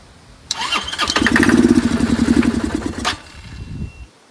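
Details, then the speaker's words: Chinese 150cc scooter (Moto Cooper Revo/CF Moto), ignition bypassed, primed with spray: the starter whirs, the engine catches with rough, uneven pulses and dies within about three seconds; owner suspects a fuel delivery problem. "it seems to fire up only when you feed it so it has a fuel delivery problem"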